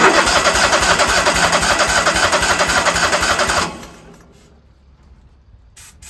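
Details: Engine cranking after carburettor cleaner was squirted into the carburettor: steady cranking at about four beats a second, never catches, then cuts out; owner thinks it isn't pulling fuel, not confirmed.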